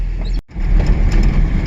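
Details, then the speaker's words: 1979 Datsun 620 King Cab, sat in weeds, fired right up after fitting a battery: low heavy lumpy idle; owner thinks it is running on only about three cylinders, cause unconfirmed. "i got the battery put in it and it fired right up sounds like it's only been on about three cylinders right now but it is running"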